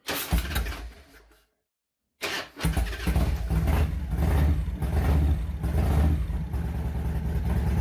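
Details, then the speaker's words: Revtech 100 cubic inch motorcycle engine, not fully warmed up and sitting a couple of weeks: short sluggish crank fades, second try catches into a lumpy idle; slow cranking start. "that was actually a slow start but it's not fully warmed up yet and been sitting for a couple weeks"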